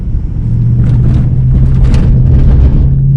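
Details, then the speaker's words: 2004 rear-wheel-drive Dodge Ram 2500 after new front shocks and sway bar end links, driven over railroad tracks: deep road rumble with only soft thumps, and no front-end rattle or clunk. Quiet front suspension over bumps. "Not bad, right? So I mean, obviously I have junk in here, car seats and whatnot, moving around, but there's no front end rattle, and the steering wheel wasn't jerking out of my hand."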